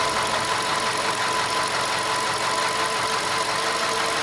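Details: VW Golf 5 at idle: a light, rapid clacking of roughly three knocks a second over a steady mid-pitched idle; engine knock, source still unknown.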